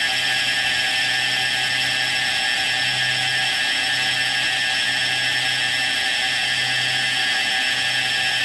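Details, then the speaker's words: Syma X8 quadcopter converted to brushless motors, throttle recalibrated in BLHeli: steady high whine stops climbing at a bit over three-quarters stick with flat pitch at top; owner suspects the stock board or stock transmitter. "seems like sounds like right there seems to be max throttle so about a little bit more than three fourths"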